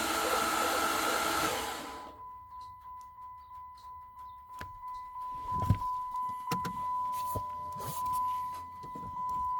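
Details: 2008 Dodge Charger 3.5 V6: steady high-pitched whine holding one pitch after a burst of rushing noise, with scattered clicks; cause unknown.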